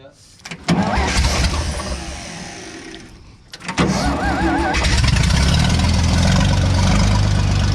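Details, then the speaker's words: Vintage Scoopmobile LD5P articulated loader, possibly late 1940s or early 1950s, first start after at least 15 years sitting, cranks, stumbles, catches near four seconds and settles into a steady even idle without knocks or misses; healthy start. "Man, I can't believe how good that runs."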